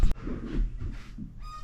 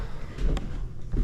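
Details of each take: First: Squeaky subfloor in a master bedroom after carpet removal, before new flooring: loose subfloor sheets moving on nails and joists give high, thin squeaks and low creaks and groans with each step, worst at one bad spot. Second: Master bedroom subfloor after carpet removal, the repaired sheets re-screwed into the joists (screws 4–6 in apart in the field, angled at sheet seams) before the new floor goes down: only dull boot thumps, no crunching, groaning or squeaking.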